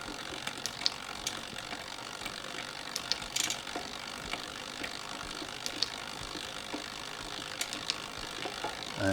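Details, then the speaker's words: Shimano Di2 rear derailleur just adjusted, microphone right next to the gears, pedalling while shifting up and down; light, even chain ticking and freewheel clicks with no chatter or grinding: normal rear derailleur shifting. "all right that worked perfectly so now I'm just going to shift my gears all the way up and down to make sure everything shifts normally"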